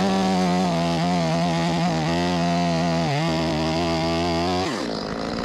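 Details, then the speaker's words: Stihl 025 chainsaw, hot no-start fixed with replacement carburetor and new plug: strong even high-revving buzz at full throttle dropping cleanly to idle, runs well though needs slight adjustment. "My bad boy ready. Need to be adjusted a little bit. I can hear it. It got a little bit more in it than that. It's pretty good."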